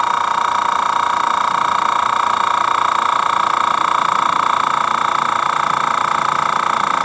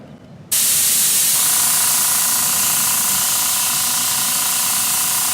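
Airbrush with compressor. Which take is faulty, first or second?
second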